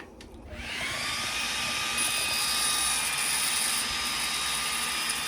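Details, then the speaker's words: xTool D1 Pro 40 W diode laser engraving: steady, outright crackling hiss with a thin high tone over it; normal operation. "you hear that crackling sound I mean it is outright crackling"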